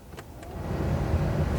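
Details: 2011 Ford Fiesta heater/AC blower motor, newly replaced and tested before reassembly; fan spins up from quiet to a steady, soft, even whoosh within a second: normal blower operation after repair.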